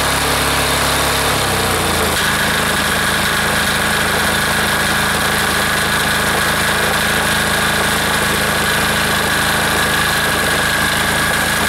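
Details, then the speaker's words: Air-cooled diesel engine just reassembled, throttled down to idle after earlier fuel starvation, briefly stumbles then settles into even, steady clatter at constant speed; owner says it sounds pretty good, normal idle. "all right let's see uh she'll idle down a little bit for us here sounds pretty good right there"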